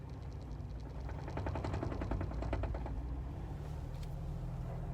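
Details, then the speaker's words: 1998 Jeep Wrangler TJ, 375,000 miles, manual clutch let out slowly at low speed: low engine rumble with uneven shudder about three or four pulses per second on take-up. Clutch judder/bucking, overcome only by revving and fast clutch release. "I can overcome it if I rev up the engine and let the momentum of the flywheel carry and let the clutch out very quickly."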